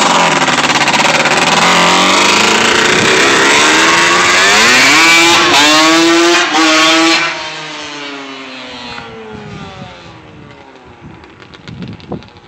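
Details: Yamaha Banshee twin two-stroke, quick run after rebuild: pitch climbs and falls smoothly with throttle, no misfire or rattle; normal healthy running.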